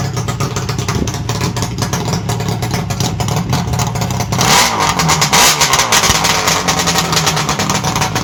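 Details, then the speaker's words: 1967 Bridgestone DT175 two-stroke on SR175 expansion chambers with no silencers: raspy, ringing idle that snaps up into a sharp blip around four seconds, loud and talkative but running normally. "As you can see, it's quite talkative with those expansion chambers on it."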